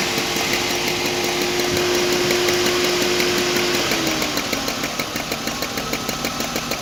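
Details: BMW E34 520i engine running: sharp, regular ticking knock of about three per second over a light hum; engine knock of unclear cause.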